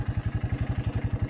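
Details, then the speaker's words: 1984 Honda Big Red 200 three-wheeler, restored after sitting about 25–30 years, with a reworked gas tank, a carburetor and an oil change. Steady, even single-cylinder thump at about nine beats a second, no knocks or misses; idles cleanly. "it starts well I got my three wheeler back he's got it running like a top"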